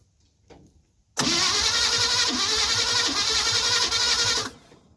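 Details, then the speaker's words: 1957 Chevy 5400 truck engine cranks, catches and runs rough with a raspy, slightly uneven beat; timing seems a little off, being checked after distributor and rotor work while fixing the spark advance. "that's weird timing must be a little bit"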